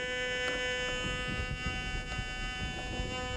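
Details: White's GMT metal detector in manual ground balance, coil over a hot rock after offsetting the ground: steady buzzy tone held over the rock; a hot rock response from ground offset, not a target, cleared by pressing grab.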